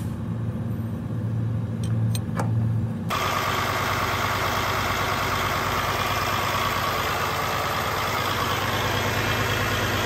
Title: Hard start ??? Common failure on PacCar , Cummins , Detroit engine with fuel water separator!